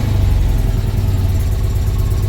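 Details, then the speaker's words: Citroen 2CV flat twin after an oil change and valve clearance adjustment, short run right after start once oil pressure builds: quick, even low thumping idle with no top-end tapping or clatter; clean and quieter. "give a very short run sounds much quieter and uh we'll check the oil again before we consider the job jobed"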